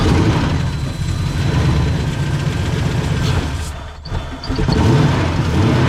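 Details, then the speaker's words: 1989 Ford Mustang GT 5.0 Fox body, gauge at 3/4 tank with bad-smelling gas: rough lumpy running that sags and nearly dies, then picks up; runs only while brake cleaner is sprayed, dies on throttle; fuel delivery fault. "As long as you keep spraying, it keeps running. And you know, it runs a couple seconds and then starts to sound better."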